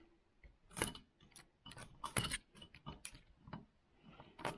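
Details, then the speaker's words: RC4WD Zetros 6x6 RC truck shifted into top gear: motor spins without drive, with irregular clicking and ratcheting from the gearbox. The gearshift cable is not pulling the pin fully, so it half engages. Planned fix is shortening the cable. "when you put it into top gear that cable is not going all out to pull the pin right out"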